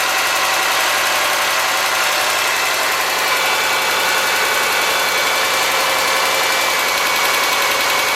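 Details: '03 Subaru Forester, 178k miles, ~150 miles after head repair for a dropped valve guide, cold idle: fast light metallic top-end ticking, driver-side front exhaust valve clearance .029 vs about .010; adjustment made it go away.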